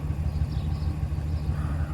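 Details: 2012 Dodge Ram 1500 Hemi V8 after an engine rebuild, idling: deep rumble with a slightly uneven pulse from a persistent cylinder 6 misfire; swapping the coil did not move it, so the coil is ruled out and the cause remains unknown.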